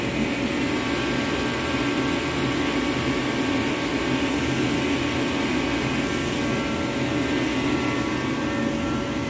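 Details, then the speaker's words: Reddy Heater Pro 150 after cleaning the nozzle and changing fuel lines, loosely reassembled with airflow not yet adjusted: a steady, even burner and fan roar with no surging or sputtering. The nozzle is believed to have been the main fault, and it now runs normally. "I got everything back assembled loosely. I'm gonna go ahead and start it up and let it run and see how we doing."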